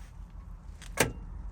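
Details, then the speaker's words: Chieftain Mk11 main battle tank revived after nearly 30 years outdoors, electrics powered before cranking; quiet background, then one short sharp click as the fuel solenoid switches over: solenoid working normally. "oh look at that ladies and gentlemen Ah that's solenoid is working yeah and"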